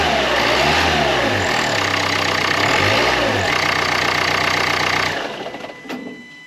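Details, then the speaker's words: Dacia Duster 1.5 dCi diesel after replacing a boost hose (reinforced) and cleaning the EGR valve, earlier air noise after hard acceleration: revs up and settles cleanly, no whoosh or air leak, then shuts off; repaired. "il n'y a plus le bruit, c'est réparé."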